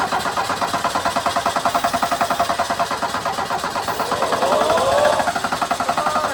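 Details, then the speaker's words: 1984 Ford Mustang SVO, four-cylinder turbo, cranked with ether: even starter cranking at about 3.5 beats per second that never catches; no fuel delivery, with the fuel pump or clogged injectors suspected. "Well, as you saw, the thing didn't start. I'm thinking it might be a fuel pump. It could be the injectors."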